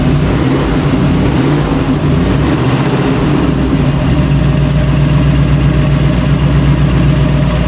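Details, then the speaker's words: 1966 Ford Bronco after full restoration, first start with the engine behind a transmission, earlier only run on a stand; steady, even low rumble with no knocks, misses or hunting; normal idle. "all right you excited yes I am it's I'm surprised it it idled kind of that's the first time it's been behind a transmission"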